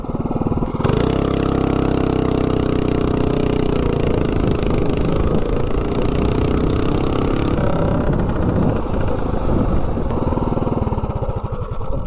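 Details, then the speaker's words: Tillotson 212-powered Rascal mini bike with GoPowerSports mechanical fuel injection carburetor, performance cam and exhaust test pipe: engine catches and settles into a fast, busy idle that never drops low; idle speed set too high. "Actually got that idle set up a little bit too high."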